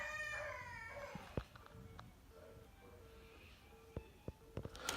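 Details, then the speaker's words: Phone socket wired directly to the Telstra lead-in cable, internal cabling disconnected: no dial tone, just a faint on-off engaged tone with sharp crackles and clicks, proving a network-side lead-in cable fault, not internal wiring. "you could probably hear that engaged signal and some crackling on the line so as you can see it's directly on the Telstra leading cable there and it just popped off it's no good"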